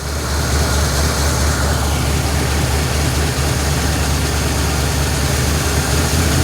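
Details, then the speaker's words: 1953 Ford Customline Flathead V8, three-on-the-tree, with a fuel leak at the bowl: deep, steady low rumble at idle with no knock or miss; normal idle. "Whoa, baby. Yeah. Listen to that thing. Holy crap."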